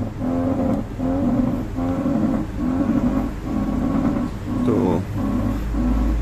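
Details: 2007 Honda City (Fit Aria) before a front suspension overhaul: a loud, repeating groaning knock about once a second each time the steering is turned, from worn stabilizer links.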